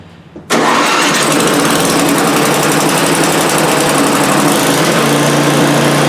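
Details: Older Ariens snow blower with 8 HP Tecumseh engine, cold start on repaired electric start with choke closed: silence, then it catches instantly and holds a smooth, even idle with steady pitch and no misfires; ran 10-15 minutes warm, no issues.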